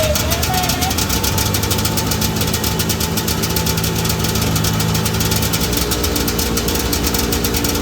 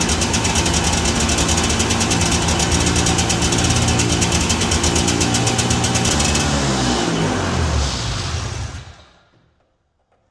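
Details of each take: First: 1982 John Deere Liquifire 440 liquid-cooled two-stroke snowmobile, a barn find that sat at least 20 years, just revived. Loud, rough running on both cylinders with a buzzy exhaust and heavy vibration; it runs, though the throttle cable is partly broken and hangs up. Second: 1982 John Deere Liquifire 440 liquid-cooled two-stroke barn-find snowmobile: stays at a high steady buzz then winds down slowly instead of dropping to idle; partly broken throttle cable hangs up on high idle after revving.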